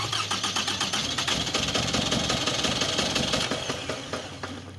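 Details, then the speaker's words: 2004 Toyota Camry petrol engine that is hard to start and won't stay running, scanner showing cylinder 1 misfire code: uneven stumbling pulses about three a second from failed ignition coils; engine misfire causing hard start and rough running. "estamos revisando un toyota cambry 2004 tiene un problema para encender no se mantiene"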